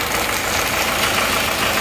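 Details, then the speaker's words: Panther diesel rebuilt after overheating and seizing from a pulley failure, idling after 15 minutes running: clattering with an uneven rattly knock; tested injector nozzles dribble and perform poorly, pump position also affects running; rough idle. "Tapi nosel menurut saya kurang Oke tadi sudah kita tes e ada yang kencing dan kurang bagus"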